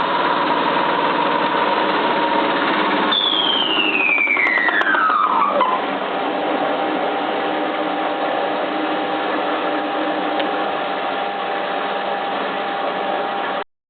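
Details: Cylinda 12002 washing machine on its last spin: fast high whine dropping in pitch as the drum slows, with a rough repeated knock; inspection pocket checked and empty, cause unclear.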